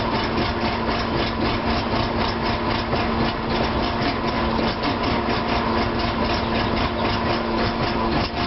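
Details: Petrol car engine at a rough, uneven idle with loose irregular pulsing about twice a second; once in drive it stutters and pops under throttle.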